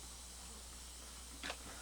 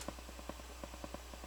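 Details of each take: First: Sony stereo used as a comparison unit, tape on, volume part way: soft even hiss with a low hum under it and one brief rustle; standard normal tape background hiss, nothing wrong. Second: Crown CSC-850F stereo amplifier returned for static, in tape mode at full volume: quiet low hum with soft ticks about ten per second in one channel where only hiss should be heard. Owner suspects a dirty record switch; source unconfirmed.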